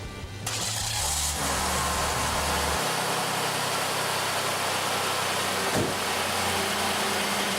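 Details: 1989 Oldsmobile 3.8L 3800 V6 started after repairing an intermittent stalling issue: catches after a short crank and settles into a steady, even idle with no stumbles or dropouts. Runs cleanly.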